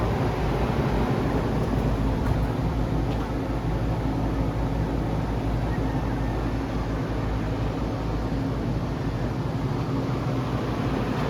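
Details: Home inspection check of an outdoor AC condenser unit: even fan rush and compressor hum with no rattles, knocks or squeals; it is operating normally.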